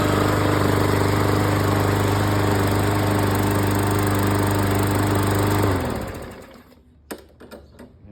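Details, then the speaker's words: Briggs & Stratton push mower after cleaning its plastic carburetor: strong even single-cylinder drone for about six seconds, then a clean spin-down; normal running. "there you go. That's how you clean those crappy plastic Briggs and scrap them carburetors."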